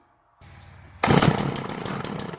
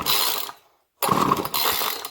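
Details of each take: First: Craftsman 2-stroke string trimmer, model 358.797270, after mixture screws reset to about one turn out: catches and buzzes loud and ragged; it starts. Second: Craftsman 2-stroke string trimmer, model 358.797270, crank no start: two recoil pulls with only rope and pawl ratcheting, no firing. Plug is wet and it fires on starting fluid, so spark is good; fuel delivery fault, likely a gummed carburetor.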